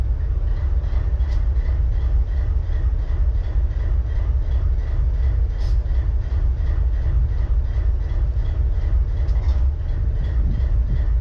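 Deep, steady diesel idle with a slightly uneven low beat and occasional stumble; this locomotive is idling with a misfire.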